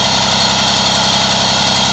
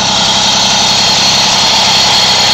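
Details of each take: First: Small two-stroke Moby moped ticking over at a steady, even idle with no click or rattle after refitting the variator with a 4 mm shim, which removed the side-to-side play and rattling noise. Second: Moby moped two-stroke after variator reinstall and shim fix, buzzing steady; light throttle brings a brief rattle that goes away once the clutch engages; owner suspects a common noise, not confirmed.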